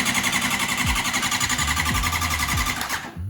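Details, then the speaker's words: Honda CBR600RR rebuild, bike that had been sitting, cranked with the fuel off to prime and lubricate the engine before first start: even regular cranking at about four beats per second, no grinding or slipping; normal starter. "So what I'm just gonna do now is turn off the fuel and just get this thing to crank over a little bit just so it's primed."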